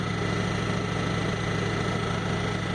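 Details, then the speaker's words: 2004 Ford F-150 crew cab 4x4 idling after start, lean codes stored: thin constant wail over engine note, like a very large vacuum leak; owner suspects vacuum leak. "it had a couple lien codes in memory and when it first starts you can hear this it's wailing noise and it sounds very much like a very very large packing leak"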